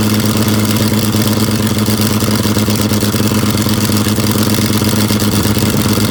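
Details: Abandoned John Deere 55 parts tractor, unstarted for about 9–10 years, gasoline bottle-fed: a steady, slightly lumpy idle with a low chuffing beat. It keeps running but is a little rich.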